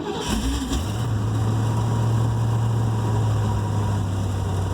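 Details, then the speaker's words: Project vehicle's engine catches after a short crank with a hint of gas while possible air remains in the lines, flares briefly, then settles to a smooth, even idle set at 775 RPM; healthy idle. "And with just a hint of gas, it fired really, really well. And it's idling. I set the parameter at 775 RPM."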